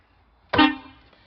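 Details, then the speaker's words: School bus with a dual air brake system, during the pre-trip control panel check: one short, loud, clear horn blast with a steady tone that cuts off cleanly. The horn sounds properly. "city horn, sounds properly."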